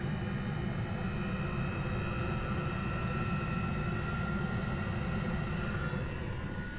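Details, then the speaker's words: Planar Autoterm 2 kW diesel air heater, first start after storage, after priming fuel through the system: smooth, constant low airplane-like roar, no misses or surging, no smoke, burning cleanly; normal running. "That's a plan R auto term heater. They work really good. Outside it's going really well. Yeah. No smoke. Nice and quiet."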